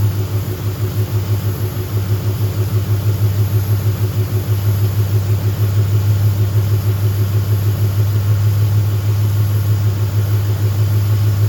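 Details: Car idling after an idle air control valve and a hand-cut gasket were fitted, with a running-too-lean problem: steady low idle pulsing about three times a second that never smooths out; rough idle, cause unconfirmed.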